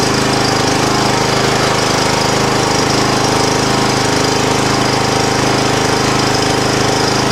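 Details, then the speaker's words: 2007 John Deere LA105 lawn mower after rebuild with a new gas tank, on choke with a half tank. A long, steady fast chugging crank without catching while fuel is pulled through the line. "choke i have to crank it quite a bit to get fuel through the line"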